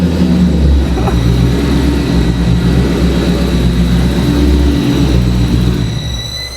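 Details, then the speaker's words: Dodge Magnum with a rebuilt, boosted Hellcat engine, air-fuel ratio 13–14. A deep V8 rumble after a rev carries faint, thin, high whistles as revs fall, present even with no boost; a vacuum leak is suspected. "Wow! What's that whistling noise? I don't know what that whistling know. is."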